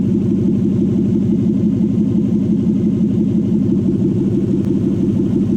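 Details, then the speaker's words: Lexus UZ V8 conversion after coolant bleeding, past-air noise gone, thermostat opening with about 64°C bottom hose and 86–87°C elsewhere: smooth, even V8 rumble without gurgling or air noise; normal running. "Noise is gone. Past air noise is gone. Just gives it a moment just to catch up."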